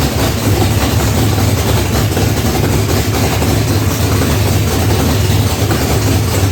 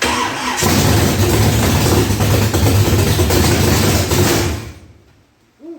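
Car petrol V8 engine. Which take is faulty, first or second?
second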